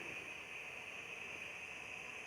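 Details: Pressure cooker on the flame with a temperature sensor fitted through the lid: continuous loud steady high-pitched hiss of excess trapped steam leaking past the improvised seal around the sensor; temperature rising past 98 to 102 °C.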